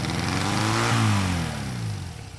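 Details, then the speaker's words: Honda CB175 tracker, sat for years, carbs just cleaned: instant uncontrollable high revving despite idle screws fully backed out, mixture screw about 1 turn from seated. No vacuum leak found; throttle cable adjusters backed out several turns held slides open. "Instant and uncontrollable high revving. That's with the idle screws backed all the way out, and the mixer screw is about 1 turn from seated."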